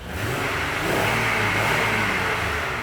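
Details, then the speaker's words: 2005 Honda Odyssey that sat for months, warming up: revved, it holds a steady low drone with a faint hissy whir. It does not sound blown, and the odd noises fade as it warms; cause not pinned down. "now i can rev it and that does not sound like a blown engine although there's some weird noise there it doesn't sound like a blown engine at all"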